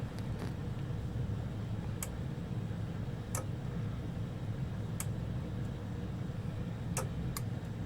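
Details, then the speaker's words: Protection relay from an SAE Mark IIICM amplifier on a bench power supply, voltage slowly raised: sharp isolated clicks over a low hum as it pulls in at about 17 V. Normal relay pull-in click. "and they're pulled in at about 17 volts see that"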